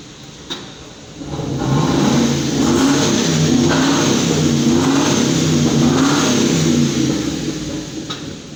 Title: Hummer H2 misfire diagnosing